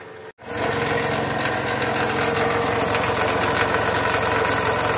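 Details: Toyota Camry 35 2.4 2AZ 16-valve at idle: quick irregular knocking, roughly three to four per second, over the engine hum, from a worn balance shaft and bearing shells.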